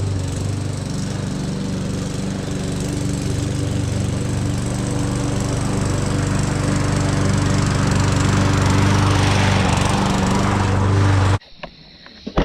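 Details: Push mower, oil checked and cover refitted, before a tune-up; its Champion RC12YX plug and dirty, oily air filter were still untouched, as the mower had been tipped the wrong way. Steady, even drone at constant speed, smooth low beat, no misses or surges; healthy.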